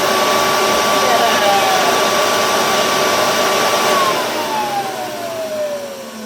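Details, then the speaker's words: Restored Hoover Convertible U4173 with resealed bearing: smooth motor whir, then a clean falling wind-down whine. The wind-down noise disappears with the belt off, so it is likely the belt rubbing, not the bearings. "Then you hear that little bit of wind down noise, and I know it is wind down noise because if I just come back under here, pop this down, flip the belt off and then turn it back on."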